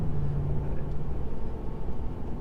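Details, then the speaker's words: Normal exhaust note from a V8-swapped Chevrolet Colorado with a new 100% titanium exhaust, heard in the cab under medium city-style acceleration: low, soft, mellow rumble with a steady deep drone and no rasp; livable, quiet exhaust. "So I'll just do a medium acceleration right here, just like driving in the city, and it's pretty mellow."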